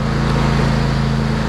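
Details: Craftsman DYT 4000 riding mower, PTO clutch previously not engaging, after wiring repair; engine holds a steady, even low drone under load as blades engage, no slipping or chatter; clutch pulling in properly.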